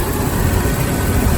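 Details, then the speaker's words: 1998 Jeep Wrangler TJ after oiling the distributor shaft as a temporary fix for an engine squeak traced to the distributor assembly: steady, even low idle rumble with no squeak or chirp; squeak completely gone. "what happened to that squeaking sound it has completely disappeared and this engine is running smooth"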